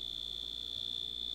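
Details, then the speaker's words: Dash egg cooker after glue-damping hack on its loud end-of-cycle buzzer: single soft, steady high-pitched tone with slight rapid flutter, nowhere near as loud as before; damped buzzer sounding as intended. "I think I can live with this all right that worked I'm happy with that so you still get your buzzer um it's just nowhere near as loud now"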